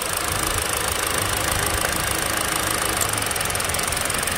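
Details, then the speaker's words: Hyundai Elantra SE petrol engine idling roughly with uneven stumbling thump and shaking after an ignition coil wire is unplugged: one cylinder misfiring, steady again when reconnected. "so if you take a brief look you notice the engines start to shake so now the engine's shaking"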